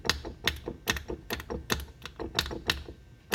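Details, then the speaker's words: Removed transfer case from a 2008 BMW X3 that popped under acceleration: sharp, uneven metallic taps as the shafts are turned by hand, a worn chain slapping the case housing, compared with a 94,000-mile junkyard replacement. "can hear the chain slapping the case housing when you move the spindles."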